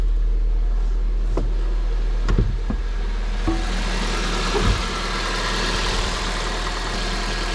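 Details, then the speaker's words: Car with a genuine 28,000 km, headed for scrap: the engine started with no dashboard errors and now gives a smooth, even low idle with no ticks, misses or knocks. It runs excellently. "Ну що ми чуємо двигун Працює відмінно питань немає все чудово"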